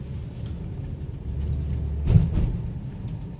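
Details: Chevrolet Malibu, about 80,000 km, after replacing the faulty aftermarket left front lower control arm, plus a leaking strut (spring kept): driving a rough road, low rumble, one soft thump, no clunks. Suspension now quiet.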